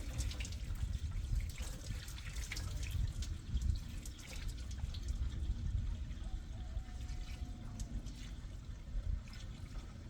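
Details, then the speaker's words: 1960 Pontiac Bonneville 389 four-barrel V8, sat for years, first start and drive: steady splashing and trickling of liquid with no engine note; big coolant leak, a green spot seen mid-radiator but leak appears larger. "Damn. Well, wherever this leak is, it's a good one. Wow, that was a lot."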